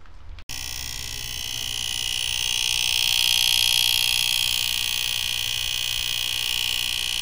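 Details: Fisher PC-19R90 15-inch TV, back cover off, works fine otherwise: loud, steady high-pitched rattling buzz pulsing about four times a second from the area near the relay; a failed capacitor near the relay, not the relay itself.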